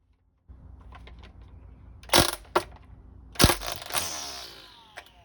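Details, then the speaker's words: Ryobi ONE+ cordless string trimmer after fixing line feed, line set slightly past the cutting blade: a few sharp clicks as the head starts, then smooth motor whir; the cutter trimming line to correct length, normal. "That's the cutter cutting the line to the correct length."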